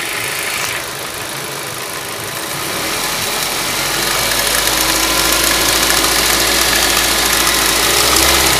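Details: Ford Duratec HE 1.8 engine idling and revving with a steady light ticking of about three or four a second over the engine hum; owner asks what it could be, source unclear.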